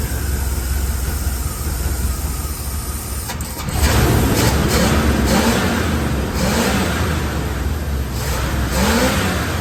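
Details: 1974 Chevrolet C10 with old plugs and wires, original coil, condenser and points, timing set by ear: the engine catches and revs unevenly, surging and sagging, and will not idle; the fuel pump was not hooked up.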